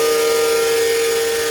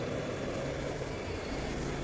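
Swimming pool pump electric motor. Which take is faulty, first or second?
first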